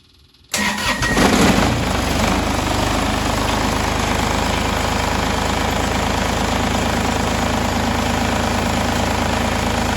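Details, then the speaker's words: Kubota diesel tractor, cold day start after about 5 seconds of glow plugs, throttle untouched: catches within a second after short crank, then settles into a steady, even diesel clatter at idle with no misses; healthy cold start. "so I just fired it up, and I let it idle like that for a minute or two, and then I will bump the idle up a couple hundred RPMs higher than that."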